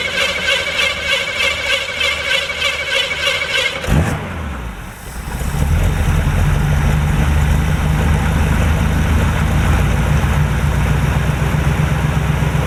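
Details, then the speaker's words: 1949 Chevy restarted after storage since about 2005, new battery: fast cranking whir, catches, slightly uneven low idle; smoke from both exhaust pipes, owner suspects oil in heads or past valve seals, being monitored. "So we're going to crank it up again. Again, you'll see the smoke, whatnot. We're just going to monitor that, make sure that's not a bigger problem than I assume, and hopefully she'll clear up and run good."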